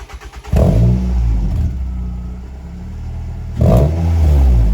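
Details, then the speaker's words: Ford Fiesta ST150 with newly fitted Toyosport stainless non-resonated high-flow 200-cell sports cat exhaust: two sharp throttle blips over deep throaty idle, no popping or rattles; normal sports exhaust revving, later drone and knocking reported. "Oh, it sounds Yeah, it's quite nice, I think so."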